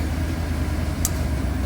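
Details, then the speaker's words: Mercedes 380SL, running the day after a refrigerant recharge: one crisp click over an even low idle as the AC compressor clutch engages normally and air gets cold; ETR switch to be ordered. "and the air conditioning compressor is on down now what has engag getting cold sounds good"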